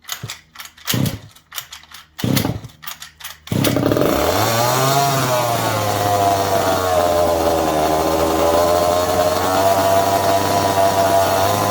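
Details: Second-hand 1/5-scale RC Baja with a small two-stroke engine: after a few failed pulls it catches and holds a buzzy, even rev that swells and settles, normal running.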